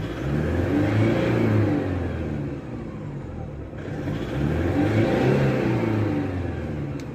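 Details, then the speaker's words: Toyota Revo D4D 4-cylinder direct-injection diesel with starting trouble, revved twice: harsh rapid fairly regular clatter riding the revs; engine knocking when revved, then check light on and won't rev; cause unclear. "Race दिया है अभी जो है ना इसके sound में आ गया, थोड़ा सा कड़क आ गया, देखो कड़ कड़ कर भैया।"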